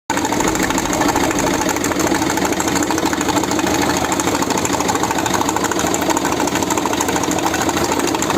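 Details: Peugeot 1.6 HDi with the glow plug tip broken off and fallen into cylinder 4, valve damage mentioned: rough diesel idle with an uneven metallic knock about 1.5 times a second.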